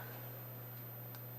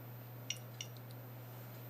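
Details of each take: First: Geiger counter: single click over a quiet hum, a normal low background count with almost no radiation. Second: Geiger counter (smallest model, 9-volt, high voltage) held to a camera lens: sharp irregular ticks, about a dozen in under five seconds, over a steady low hum; the lens is radioactive.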